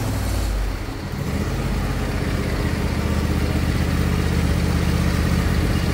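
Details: Husqvarna 22V46 riding lawn tractor, bought as smoking with suspected head gasket failure, parking brake on, 12.5 V battery: small engine cranks and catches quickly, settles into an even steady beat, then revs smoothly; charging system working, headlights brighten with revs.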